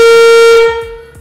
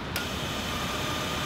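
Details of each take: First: Classic Porsche 911 under restoration, during a wiring check of the headlights: one loud, clear horn blast of steady pitch lasting under a second; the horn works. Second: Classic Porsche 911 under restoration, no engine fitted: as soon as the battery is connected, a click then a constant high-pitched electrical buzz, suspected fan control; source to be traced by pulling fuses.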